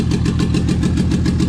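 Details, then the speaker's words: Toyota 2JZ swapped into a 4Runner, first start after install at about 1900 rpm: heavy, lumpy idle with an uneven beat about six pulses a second, a couple of cylinders dropping out; misfire later traced to injector adapter connectors not making full contact. "[Music] 1900 RPMs no leaks no fire [Music] [Music] [Applause] [Music] for sure got a mire it's down like two"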